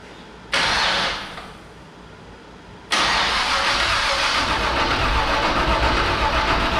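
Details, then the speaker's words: 1967 Chevrolet C10 V8 sitting about 10 years, cranked on the starter only, with no ignition to the distributor and no fuel, after replacing a broken rocker arm; an even, steady rhythm with no dragging. Everything rotates well and compression sounds good. "that sounds pretty good everything's rotating good sounded like we had good compression on everything"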